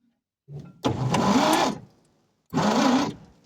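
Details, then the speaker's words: 1946 Chevy 3/4-ton parked since the early 70s, first crank attempt: two short bursts of starter whir, rising in pitch as the engine rolls over. The fan moved, so the engine turns freely and is not seized. ">> Oh, it definitely moved. >> Heck yes. Oh my gosh. Do you guys know what that means? I think we're going to be in business, guys."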